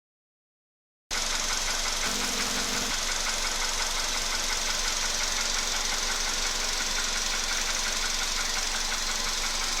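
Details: Volkswagen Polo sedan at 28,000 km with a newly appeared knock: steady idle with a crisp, regular ticking about three per second over a hissy background. Source of the knock undetermined.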